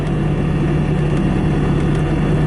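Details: 2017 Bobcat T650 rubber-track skid steer loader, 2195 hours, idling with no active warnings or error codes: a steady, even diesel rumble and constant low drone with no knocks or misses. The engine idles cleanly.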